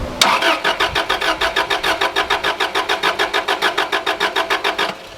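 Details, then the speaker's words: Subaru RS Liberty AWD turbo manual, parked 10 years, first start attempt on fresh fuel after priming fuel pump: uneven cranking about 3.5 pulses per second with unequal compression beats, never catches; owner suspects head gasket. "sounded very Subaru head gasketish"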